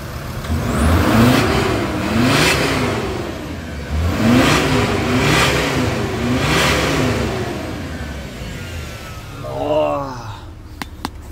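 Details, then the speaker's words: VW Crafter diesel after its vibration-cracked EGR flex pipe was brazed, the starter overhauled and the lambda sensor restored; it revs up and drops back cleanly several times with no hiss or ticking. Normal revving, no leaks. "песня для ушей отлично великолепно великолепно всё нигде не сечёт нигде не под секаев"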